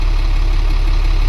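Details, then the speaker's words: International 4400 DT466 diesel after replacing an O-ring, having previously dipped at idle after revving: deep, even idle holding steady with no hunting or dips; surging seems fixed. "I don't know. Maybe that O-ring was the only problem. Seem to be doing okay."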